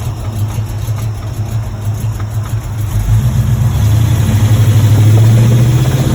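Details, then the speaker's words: 1986 Chevrolet Monte Carlo SS V8, driven about 3 days with a bottom-end knock. Rough idle with a dull rhythmic knock, about four per second, that firms up as revs rise. Oil pressure good but below normal. Rod knock. "I've been driving it for about 3 days now. I hear the bottom end knocking in it."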